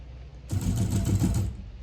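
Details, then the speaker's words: FF6 remote-controlled flapper decoy in random timer mode (button B), kicking off roughly every 8 to 10 seconds: about a second of fast, even mechanical whirring clatter starting and stopping cleanly; normal operation. "So button B, it'll take the command, and now that will kick off as and when it chooses, which is normally between 8 and 10 seconds, but it is random, so it's not a set pattern all the time."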